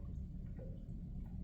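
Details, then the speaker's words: Vsport intercooler coolant circuit after a leak repair, strainer valve pressed with the pump off: faint, quiet gurgling and small drips as air bubbles out; the circuit is probably empty or close to it, air in the intercooler coolant circuit. "bubbles coming out of it as you can hear so it is probably empty or at least close to it because i didn't even turn the pump on"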